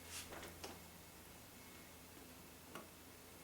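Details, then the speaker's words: Door hinge after realigning the door, reinserting the pin and applying petroleum jelly: opens and closes with only faint soft ticks and no squeak; squeak resolved. "I don't hear anything do you and that's it using jelly petroleum to resolve your squeaking noise problem"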